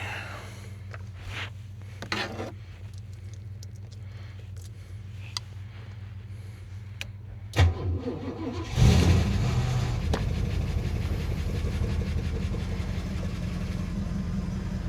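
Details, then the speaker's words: Holden VN SS V8 cold start after sitting on the hoist: cranks and catches, then a steady idle with a faint quick tick. Owner attributes the tick to oil; it now has fresh fluid and quiets down as it runs. "It was a bit ticky at the start, obviously, because of the oil, but now got fresh fluid in it."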